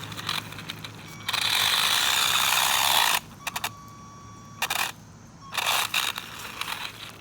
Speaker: let's see if this car is going to make it up this obstacle real quick yeah you can hear that gearbox